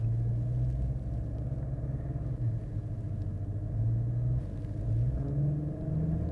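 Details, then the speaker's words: 2008 Mercedes SL550 before repair, warm after a 12–13 minute drive, revs held against the brakes: low rough grinding growl from the power steering damper. "The first one that we did was just one 12 or 13 minute drive, and we got it to do it. So this is what it sounded like before."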